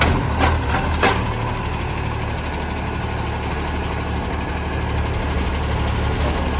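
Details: City of Joondalup Acco SL061 diesel truck: a deep, loud roar heavy in the low end with an air-brake hiss; raw blatting from an exhaust leak.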